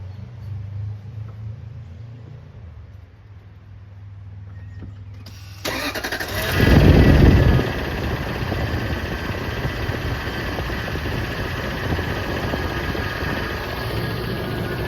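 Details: Lexus GX470 V8 after hydrolocking in water (plugs pulled, oil changed several times): starts and idles with a light, steady tick of about four a second. No check-engine light; cause unknown.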